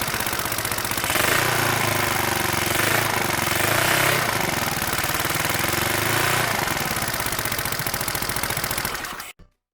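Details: Yamaha Mio Sporty 63mm scooter after sealing the muffler-to-pipe exhaust leak with a can, two hose clamps and gasket maker: steady single-cylinder putter, clean even pulses, no puffing or ticking from the joint until shutoff.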